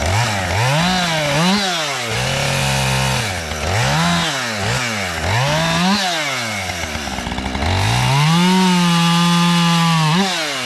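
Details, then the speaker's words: Husqvarna 550XP chainsaw started after sitting about 6 months, cutting a downed box elder limb: crisp two-stroke revs rising and falling cleanly, steady at full throttle; runs healthy. "Alright, I'm going to run her until she runs out of fuel, and then that'll probably be the end of the video."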